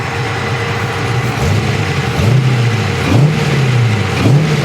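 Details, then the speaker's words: LS1 V8 after camshaft swap, Holley Terminator X Max still needing to relearn: blips then settles into lumpy idle with slight rhythmic chop, deep exhaust, no leaks underneath; cam lope idle. "oops Got Her Island great sounds good got a little chop just a little bit no leaks underneath which is great news"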